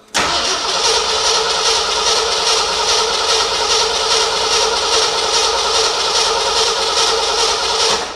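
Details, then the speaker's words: 1975 Ford F100 cranks evenly, about two turns a second, for eight seconds without firing; no fuel seen reaching the fuel filter, which needs replacing, so a no-start from no fuel delivery. "I'm not seeing any juice being propelled into the filter try to start it just a quick yeah okay keep trying"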